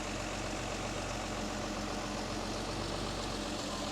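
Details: Mercedes 280 SL Pagoda M130 straight six idling after a tune-up; dwell meter reads about 32-34 degrees, called perfect: smooth, even idle with a steady low rumble and no misses or stumbles.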